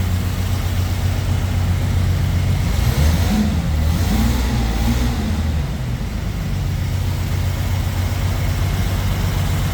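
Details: 1971 Jaguar E-Type V12, fuel injected, on its first start after a two-year rebuild with the throttle body not yet adjusted: deep idle with a faintly lumpy, uneven pulse. Three injectors were unplugged, causing a misfire; it ran smoothly once they were connected.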